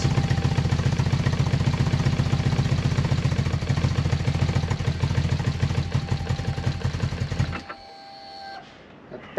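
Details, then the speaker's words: BMW R1100R twin thumping roughly with a low battery, then cutting out abruptly, as it dies whenever throttle is applied; the coil has been replaced without success, and the owner suspects a sensor as the next thing to check. "battery's a little bit low low unfortunately but everything runs but it dies as soon as it goes into throttle it dies it dies out a little waddle"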